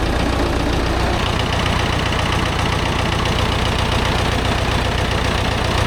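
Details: Vintage David Brown 990 diesel tractor, abandoned in woods 20+ years after tipping over while running, restarted after fuel system flush, new fuel and air filter check: steady, even idle with regular low chuff, no knocks or misses; runs clean, normal.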